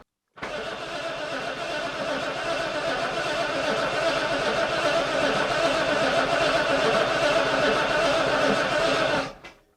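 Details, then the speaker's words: British Leyland Princess 2200 automatic, new oil and fuel, oil pressure present, fuel pump unverified: nine seconds of steady cranking at about four compressions a second, never firing. "i still don't know if the fuel pump is actually pumping fuel so if it doesn't start then i'm gonna test that"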